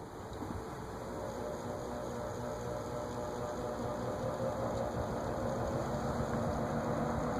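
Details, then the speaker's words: 1950s GE 20-inch plastic-blade box fan at low speed: soft steady rush with a light regular rattle about four times a second, new and unidentified, gone at full speed; motor bearings likely need oil. "i don't know what that rattly sound is i'm not that hasn't shown up before it goes away when you turn all the way up"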